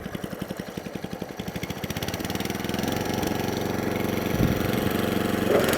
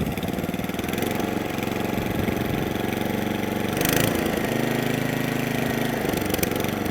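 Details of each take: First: Atco Balmoral 20S electric-start cylinder mower after adjustment, idle nudged up: small single putters evenly at a slow, steady beat, no hunting or stalling; healthy idle, now fixed. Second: Atco Balmoral 20S cylinder mower: idle rises and sags unevenly, hunting and surging, running lean and wanting a bit more fuel; mixture screws being opened up.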